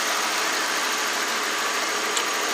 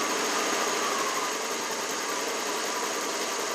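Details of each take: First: 1992 Lexus LS400 V8 after new coolant temperature sensor, started after sitting dead for months: smooth, even hum with stable idle rpm and no hunting or dips, though lean is reported on both banks. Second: 1992 Lexus LS400 idling after a coolant temp sensor replacement and mass airflow swap, scanner showing lean on both banks and the ECU still relearning; faint, fairly regular tapping in time with the engine under a hissy background; engine knock at idle, cause unknown.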